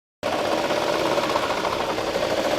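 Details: 2017 Toyota Corolla Altis CVT with about 220,000 km: loud steady mid-pitched whine over busy mechanical rattle from a failed CVT pulley bearing; repaired with bearing replacement and gear oil change.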